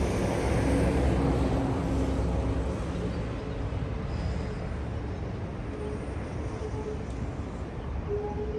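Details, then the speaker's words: Custom Honda S65 with a Lifan 140cc four-stroke engine swap, no air filter, ridden around a parking lot after sitting for years: small single putters steadily under wind and road noise, running cleanly and evenly without misses. Normal running. "so i'm gonna get you uh set up on tripod here and we'll fire it up and just kind of spin it around here in the parking lot"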